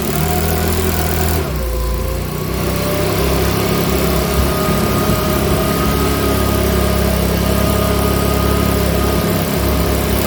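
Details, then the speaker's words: Makita BHX2500 four-stroke leaf blower after valve clearance check and adjustment and an NGK spark plug check runs with an uneven, loping beat about three pulses a second; owner suspects it needs a new carburetor; rough running. "so so so all right folks so that's running now so we're it's running but here i reckon it's gonna need a new car on that"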